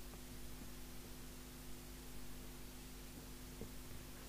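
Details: Murphy CBH1500 CB base station using Spirit 40F boards: quiet steady low hum with faint hiss, a design flaw letting mains ripple through the power supply; replacing four PSU capacitors and main-board 1000 µF capacitor reduced it.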